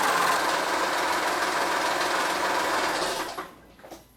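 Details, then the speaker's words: 2011 Honda Pilot 3.5L, over 130,000 miles, idling: rough, rapid churning growl about three beats a second from the timing belt area; new timing belt and idler pulleys expected to cure it, not confirmed. "there is a growing noise coming from the timing belt area okay so right there i hope the camera is picking that up"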